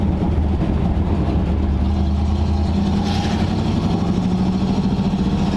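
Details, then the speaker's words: 1940 Ford Tudor, driving at normal temperature in third gear after new carburetor fitted, exhaust leak still unfixed: steady low drone, even pull, no hesitation or bogging — normal running; owner expects better once exhaust leak fixed. "yeah it seems good now that we put the new carburetor on it doesn't have that hesitation anymore bogging once we get rid of the exhaust leak it'll probably be even better"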